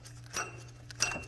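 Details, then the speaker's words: BMW E46 M3 S54 at 139k: two sharp metallic clicks as the stopped water pump pulley is rocked by hand, showing play from a worn water pump bearing, found during cooling system overhaul with belts removed. "good thing I decided to replace the water pump because I do have sharp play you can hear it bearings are going out"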